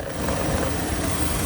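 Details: Chevy Cruze petrol engine idling with an uneven, lumpy low rumble; rough idle from a bad PCV valve, fixed by replacing the valve cover.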